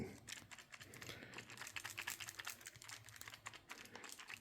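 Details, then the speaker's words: Craftsman V20 cordless drill after motor overheated and smoked while drilling wiring holes, then cooled; light irregular clicking rattle with plastic chunks falling from vents: motor cooling fan blades broken off and loose. "There's a rattle and chunks of something have been falling out of it. I don't know if it's plastic or what, but uh um this is not healthy anymore."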